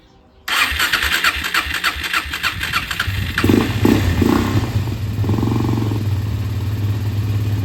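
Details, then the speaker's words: Suzuki LTZ 400 ATV (believed 2004), sat five years, after idle adjustment with air filter and airbox off: it fires on the first try and settles into an even, steady idle with no stumbling. Normal idle. "my adjusted Idol is idling good now I just need to put on an air filter and the airbox"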